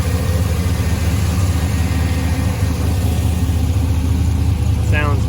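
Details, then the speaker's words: 1985 Chevrolet K20 Suburban with LS swap, about 200 miles on swap: deep, slightly lumpy V8 idle from a big cam, steady rhythm, no misses or knocks; owner says it idles fairly smooth, healthy. "um but yeah let me do a walk around so this idling runs fairly smooth got it all broken"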